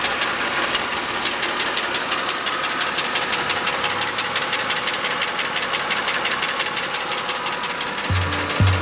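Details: 2009 Mercedes W203 with M272 2.5L V6, 60,000 km: sharp, regular ticking knock, constant at idle; piston slap from scored coating in the three left-bank cylinders, right bank intact.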